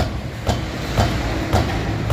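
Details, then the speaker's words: 2015+ Ford Ka 1.0/1.5, front wheel kicked with the car stationary: four hollow rattling knocks. It is not the hubcap or the caliper but play in the shock absorber rod, a factory defect. "você vai ver que você vai chutar e vai persistir isso aqui é folga de haste do amortecedor"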